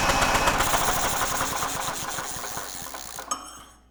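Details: Generac GP6500E generator engine, previously stuck partway through rotation, spun over by a braked drill with recoil removed: drill whine over light even puffs near four a second barely loading the drill, then spin-down; compression audible but weak.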